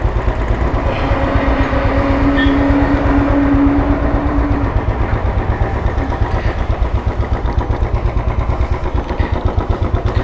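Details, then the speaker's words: 2013 Royal Enfield Classic 500, fuel-injected and stock ECM, on a ride after repair: it had a misfire because one of its two spark plugs was dead and the other weak. Steady deep thump under load, no skips. Normal running. "ഇത് വണ്ടി ചെറിയൊരു മിസ്സിങ്ങുമായിട്ട് ബന്ധപ്പെട്ട് വന്നതാണ് കേട്ടോ. അപ്പോൾ ready ആയിട്ടുണ്ട്. അത് spark പ്ലഗിൻ്റെ പ്രശ്നമായിരുന്നു."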